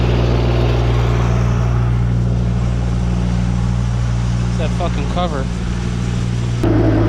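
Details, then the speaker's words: Woods 6215 mower after spindle bearing, U-joint and belt replacement: a steady low drone, even hum, no knocking or grinding; cutter and driveline run smoothly, and the mower is fixed. "well that's all we got to show for this episode folks this woods mower is fixed"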